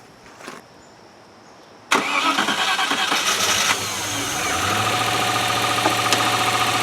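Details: 1997 Land Rover Discovery 1, started on a battery that isn't the right one after an oil top-up, with a leaking front oil seal: a short crank, catches at once, flares and settles into a smooth, even idle.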